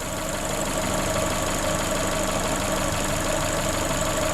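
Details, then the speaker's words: Corsa VXR idling with its engine replaced a week earlier, bogging on acceleration with the engine light on: loud steady hiss over a smooth idle, heard from the top of the engine; the vacuum leak is a split cam cover. "It's not difficult to find a vacuum leak really. And this one's really loud, so oh, I can hear it now."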